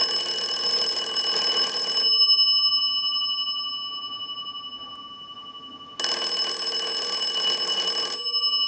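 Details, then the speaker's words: Wood wall crank telephone during initial checkout and repair/conversion: bright bell ringing in two-second bursts with four-second pauses, clapper striking fast and evenly; the ringer works properly. "I'll let it go one more time and we'll give you some dial tone."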